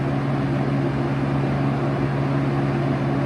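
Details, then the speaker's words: 1971 Kel-Aire model 7000 20-inch three-speed box fan, running on medium, a little slower than high: smooth, even motor hum with soft air rush, no rattle or wobble; normal running. "A little bit of a decrease in the speed from high and low."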